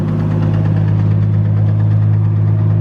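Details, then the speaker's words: Toyota 1JZ engine smoking heavily after a drive: deep heavy drone at idle with a dull, steady lower-end knock beneath it, believed to be rod knock but not confirmed. "You hear that, right? Rod knock! Wonder why. It almost sounded like it was knocking that."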